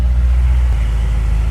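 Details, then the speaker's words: C6 Corvette Z06 LS7 started after the OnStar box was plugged back in. A deep, steady rumble settles into an even, firm beat with no misses: a normal start and idle, though a P0171 check engine light appears. "car is running okay but what is that check engine light about let's find out"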